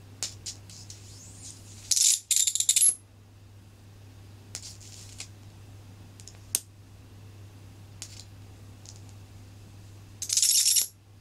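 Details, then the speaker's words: Flyback driver (Eldor 1372.9019B flyback, new IRFP250N MOSFETs) on 24 V drawing about 4–5 A; short bursts of sharp hissing arc crackle over a steady low mains hum; driver firing cleanly, normal arc operation. "Only pulls about 4 amps doing that. Well, 5 amps. 24 volts."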